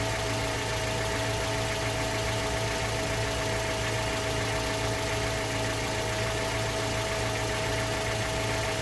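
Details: Mazda 3 BL 2.0 MZR DISI, cold idle just after start-up: injector ticking plus an underlying metallic knock keeping pace with the engine; owner suspects piston slap or rod bearing, not confirmed.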